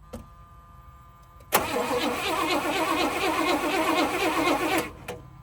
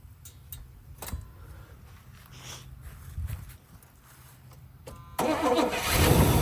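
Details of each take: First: 1978 Pontiac Grand Prix, Pontiac 301 V8: steady starter churning for about three seconds that never catches. Owner suspects the battery is not turning it fast enough; a swapped battery later cranked faster and it ran. Crank, no start. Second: 1978 Pontiac Grand Prix, Pontiac 301 V8, long parked yard find, first start: quiet cranking, then it catches and settles into a steady, quiet, smooth low idle with no knocks or misses.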